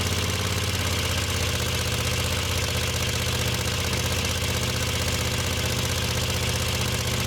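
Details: Moto Guzzi Le Mans 3 twin, first start, points gap, static timing and spark checked, cheap pod filters: fires on both cylinders but uneven lumpy beat, held just off idle to stop stalling until carb throttle cables tensioned.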